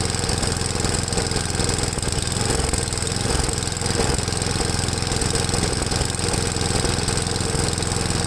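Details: Ariens 8HP Tecumseh engine on new replacement carburetor after mixture adjustment: idle speed rises and dips unevenly instead of holding steady; idle surging persists, owner says these always surge at idle while full throttle is fine, possibly flooded.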